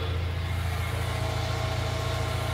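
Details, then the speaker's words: VW Jetta Mk3 after fitting the fan belt so both radiator fans run. With the engine idling, both fans blow with a steady, even whoosh and no rattle, scrape or squeal: normal cooling fan operation. "miren ya están girando los dos ventiladores todo jala súper bien se escuchan bien No se oye ruidoso vean soplan a toda madre"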